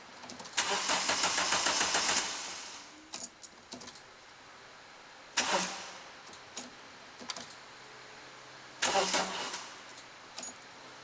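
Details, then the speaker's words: Renault Clio 172 with freshly installed engine after 9 years off road, first start attempt: three short bursts of brisk cranking with no firing at all; crank no start, no fuel reaching engine, fuel pump appears dead. "I don't know if I hear fuel priming so we found another problem with the car um there's no fuel at all"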